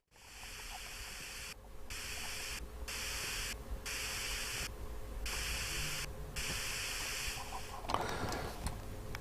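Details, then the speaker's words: Roberts R200 radio, arrived totally dead: faint steady hiss swelling and dropping about every second with no program, volume and squelch working; SMD electrolytic capacitors, full recap needed. "can hear it very very faint can you hear that so there is life there it's a funny miss going up and down so it's not the problem with the volume"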